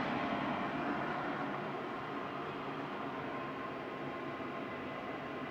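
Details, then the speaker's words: IQAir Compact air purifier, its motor seized after 10 years and replaced with an inline centrifugal fan, running at full power: steady, even rush of air with no grinding or rattle, smooth and quieter than the original. "this is actually quieter than the original iqr machine was and i can turn the uh speed up and down with my ceiling fan control"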